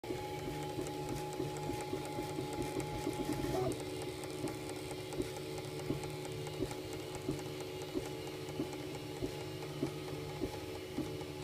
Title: UM2 feeder ticking noises